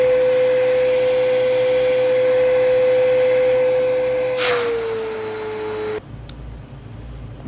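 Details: Riccar Vibrance Commercial Premium vacuum after new motor bearings and brush bearings (the motor had sounded bad before), during an airflow test at the taped bag inlet: steady, even, high-pitched whine with no rattle or grinding, then a smooth wind-down; the motor sounds healthy.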